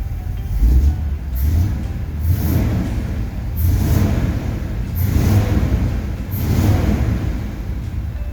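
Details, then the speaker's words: 1969 Ford F100 V8 running after coil wire cleanup and timing adjustments. Deep rumble swelling and falling in blips about every second and a half, clean pickup, no misses; running better. "sounds better and better every time we work on it"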